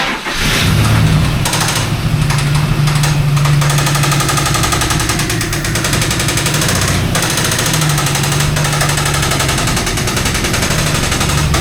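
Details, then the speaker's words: Mangnaro car, naturally aspirated with charger disconnected, driven onto ramps: steady running with loose irregular knocks over a low rumble; sporadic knocking, suspected clutch area, later traced to the gearbox input shaft side. "Yeah, it's a weird noise. It's a weird noise."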